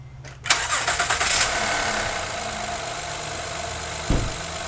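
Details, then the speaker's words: 2012 Honda Odyssey with the alternator back in, after shaft play in the five-month-old aftermarket alternator was found as the cause of a rubbing noise near the timing belt: brief crank, quick catch, smooth idle, no more noise. "See that? No more noise."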